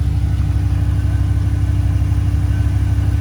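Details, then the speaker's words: Range Rover P38 air suspension (EAS) with freshly rebuilt valve block, engine idling: compressor refilling the tank back toward 150 psi after access height, a steady buzzing drone, even and unbroken; compressor sounds healthy. "so we'll let that pump back up and then we'll go up and choose the next height which is low"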